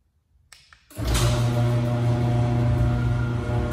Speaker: I have this Liftmaster garage door opener and it is making a lot of buzzing noise vibrating noise when it opens and closes